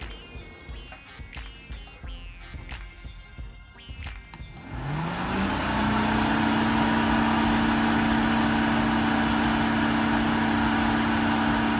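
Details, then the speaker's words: Sn95 Mustang GT cooling fan wired straight to a 12-volt source, bypassing the CCRM; it spins up with a rising drone, then a strong steady whoosh and hum at full high speed. Owner suspects the CCRM isn't supplying enough current for high speed. "did that sound different to y'all it definitely sounded way stronger to me so I think for whatever ish whatever reason the ccrm just isn't outputting enough current to drive this fan at high speed"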